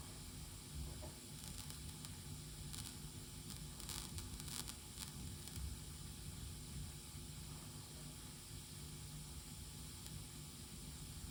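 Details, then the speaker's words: Tascam LM-8ST mixer, left channel output wired to a Presonus monitor, gives scratchy crackling and popping over hiss as the volume is turned rapidly up and down; occurs regardless of cable or speaker, also on ST2 output. "And as you can see, I will just turn the volume up and down rapidly so you can hear the noise."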